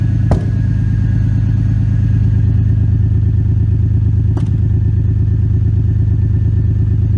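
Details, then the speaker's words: Freshly swapped 2JZ engine in a 240SX, mic at the tailpipe: steady idle broken by two sharp pops about four seconds apart; owner unsure if misfire or backfire, suspects too much fuel not burning off. "however we have a sort of i don't know if it's a misfire a backfire whatever you want to call it we have a problem with something in the exhaust too much fuel something's not burning off"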